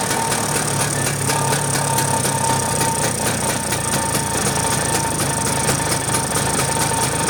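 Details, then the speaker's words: Vespa two-stroke scooter after carburetor adjustment to stop flooding, which previously stalled it within about 10 minutes: holds a steady even beat with no stumbling, popping or sputter; running normally. "sekarang kita Nyalakan lagi apakah pespanya hidupnya sempurna eh hidupnya sempurna bisa hidup apakah masih banjir ya"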